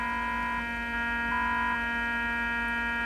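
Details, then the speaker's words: Fluke 6060B RF signal generator on its rear output with modulation off: a constant harsh buzz with steady overtones, and the output level is too low. Unwanted buzz on the output, cause not yet found. "So, there's a big buzzing sound coming through the audio which is interesting."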